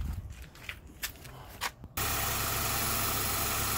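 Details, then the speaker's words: 2006 Honda Jazz after replacing the seized, disintegrating AC compressor pulley with a second-hand one, engine restarted: a few soft clicks, then a steady even idle with no knocking; the pulley is now quiet. "the engine running the pulley now is nice and quiet it's making a terrible noise before"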